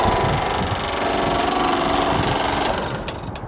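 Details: A gutter downpipe on the side of a house vibrating in rare harmonic resonance, making an intense droning, buzzing rattle with a steady hum like a distant engine; strategic drops of exterior silicone sealant dampen it.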